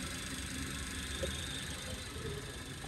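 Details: Suzuki Alto 660 at idle after battery service and terminal cleaning: faint high squeal and whirr over a steady idle, constant with engine speed, only slightly reduced; worn fan belt tensioner/adjuster pulley bearing, mechanic still to check.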